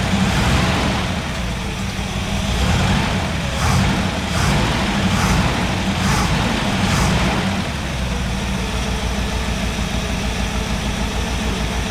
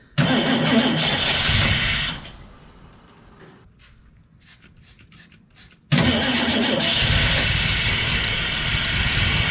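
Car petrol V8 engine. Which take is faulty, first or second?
second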